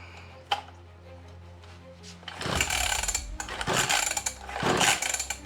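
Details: Old two-stroke mini dirt bike, being restored, with a small amount of 50/50 oil-mix fuel added: three rough pull-over strokes with no firing stroke. Cranks but won't start; spark is the next thing to check, suspected no spark.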